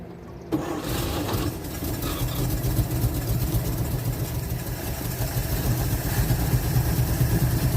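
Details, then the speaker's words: 1948 Chevy inline six, off the road since 1968, just restarted with fuel poured in the carburetor and pulling from the tank on very old gas: low, smooth, steady idle without tapping or stumbling; running like a sewing machine, normal idle. "this thing is running like a sewing machine after all these years"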